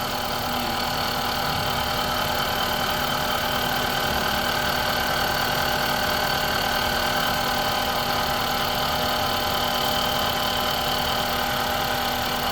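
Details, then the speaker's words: 2005 Honda Civic engine checked with stethoscope: light quick metallic ticking at top end over steady idle; mechanic says noise is from the camshaft in the head, head must be opened. "ऊपर हेड में आ रही है। हेड में है? हेड खोलना पड़ेगा। हाँ जी, हेड खोलना। क्रैंक की आवाज़ है? केम की आवाज़ आ रही है।"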